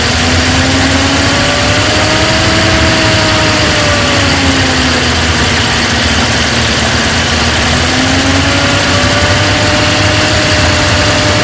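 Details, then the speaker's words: 1950 Ford F5 truck, flathead V8, 53,065 miles, first start on a temporary fuel tank after sitting over 20 years: loud, uneven idle drifting up and down, smoking; owner suspects rings need reseating, oil pressure good. "It's been sitting forever. Rings probably need a reseat. Got good oil pressure."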